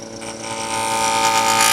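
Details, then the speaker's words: Wood lathe inside-out turning: buzzing, ringing chatter instead of a nice even hum, meaning the gouge is pushed too hard into the wood; just touch the bevel. "Hear that vibration like that? That's a no-no. That means you're pushing too hard into the wood."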